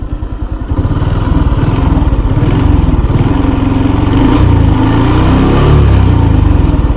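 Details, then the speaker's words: 2024 Honda Wave 110i, one month old with just over 1,000 km, dealer calls the noise normal: small single at low revs with a busy uneven clatter over the thump; owner asks whether it is valve springs or cam chain, most advisers say timing chain, some valve springs. "เพื่อนๆว่าเป็นอะไรครับสปริงวาล์วหรือว่าโซ่ลิ้น"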